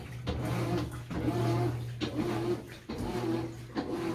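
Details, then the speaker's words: GE top-load washer model GTW330ASK4WW, heavy cycle with hot water: loud, tonal low moan rising and falling with each agitator stroke, like an animal dying; cause unclear. "and it still makes that noise which so many viewers of my other videos of this claim are normal but more are dissatisfied with this noise just sounds like an animal dying this is ridiculous"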